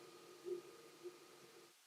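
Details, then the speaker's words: New Wizmaker P-1 3D printer on its first print, with the microphone right next to it. Faint, even motor hum with soft steady tones and no clicking or grinding; quiet enough that speech is heard clearly: normal quiet running. "it's not terribly loud like I'm I'm next to it and I'm I have a microphone right here but you can hear me clearly like this is great"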